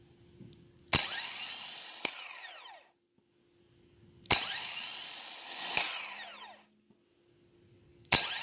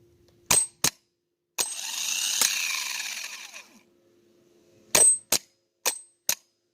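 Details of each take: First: New replacement starter for a 2014 Infiniti QX80 5.6L, tested on the bench with a jump box and remote starter switch: three bursts of fast high-pitched whir spinning up evenly and winding down cleanly; healthy, unlike the worn old starter. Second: Old worn-out starter from a 2014 Infiniti QX80 5.6L, bench-tested on a jump box with a remote starter switch: sharp solenoid clicks, one short rough whirring spin that winds down, more lone clicks; intermittent engagement, starter suspected worn.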